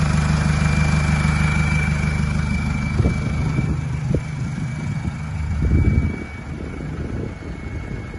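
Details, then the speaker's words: Mercedes Sprinter diesel with the catalytic converter just after the turbo removed: a clear, steady, loud high turbo whistle sits over the diesel idle rumble. The loud whistle is due to the removed converter. "Sounds so much better without a stupid cat just off the turbo. And that's what it sounds like. Sick."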